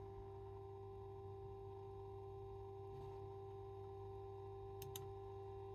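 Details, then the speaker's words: Corsair iCUE H115i RGB Elite 280mm AIO with all case and GPU fans off, pump at top-speed extreme setting: steady, piercing mid-pitched whine with no rhythm; loud pump noise, moving the loop to clear air bubbles didn't help. "all fans are off all you can hear is the pump noise my phone camera doesn't pick it up super well but in person it's even more extreme"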